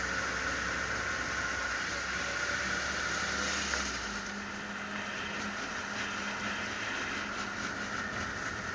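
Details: Willys Jeep on road test after yoke repair, covers off so louder: steady drivetrain drone under road and wind noise, the earlier crazy gearbox noise gone; gearbox and transfer case sound normal.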